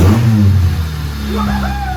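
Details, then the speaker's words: Budget Honda Civic EG build, first start after reassembly, cooling system not yet filled, clutch and power steering unbled: catches first try, revs cleanly, settles into a steady low rumble with no knocks or misses. "wo she fired up bloody first bloody pot I knew it"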